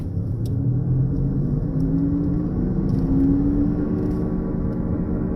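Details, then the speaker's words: Honda Accord driving at 40 mph: a steady low drone with a humming growl that grows louder with speed and drops when stopped. The cause is a bad front wheel bearing, to be replaced (pressed-in type). "Okay, that sound that you're hearing is the sound of a bad wheel bearing."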